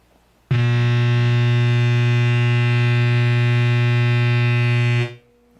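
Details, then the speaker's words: ADA MP2 preamp with noise gate off, no guitar plugged in, effects off: loud steady low buzz with a bright edge cutting in and out; mains hum from the unit itself, fixed by replacing failed resistor R913. "and so this is the ADA MP2, and it has developed a loud humming noise."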